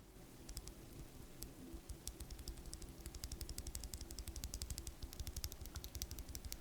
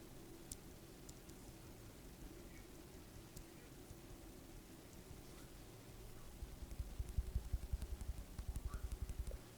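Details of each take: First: And on top of that, I don't know if you can hear it, but if I were to tap the top housing back and forth, you can definitely hear the top housing rattle. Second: you can hear that it's basically non-existent.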